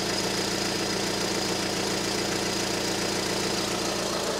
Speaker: let's start the car just see if everything is okay and finish this video there we go this would be quite good quiet and yeah happy days